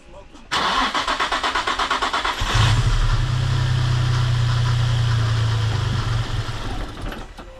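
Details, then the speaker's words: Nissan G35 with new valve covers fitted, freezing weather, running poorly before: several seconds cranking, then catches and idles lumpy and uneven before fading; MAF sensor accidentally left unplugged. "So I owe a box. I didn't even plug the MAF sensor in like a dumb dog. So that's pretty retarded."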